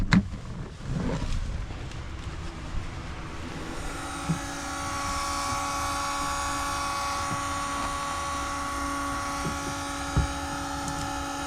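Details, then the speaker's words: MK3 Jetta with new-old-stock Votex keyless entry / vacuum central locking kit: after a few clicks the pump hums steadily but the locks don't move; pump runs, vacuum line leak suspected. "I should be to press this and I hear it didn't go down let's try to go up H I hear the pump"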